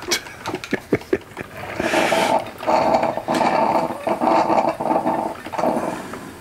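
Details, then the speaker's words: Michael Graves 40304 (Target) coffee maker, earlier stopped heating after a puff of smoke: irregular gurgling and sputtering bursts with a growl-like rumble as the heating tube boils off the last water into steam; normal end of brew cycle. "so that noise is the the sound of the uh the heating tube um boiling out the kind of the last of the water there's no longer enough to make it all the way up through the nozzle so it's just turning that into steam that's always the noise i listen for to know that my coffee's done"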